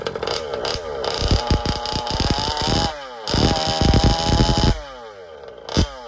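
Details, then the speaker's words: Old Baja small two-stroke with a newly fitted engine, on its first drive during break-in: blips and falls back with a wet, blubbering burble instead of a crisp scream; carburetor still set rich. "Okay, so as you can hear, she's a bit rich still."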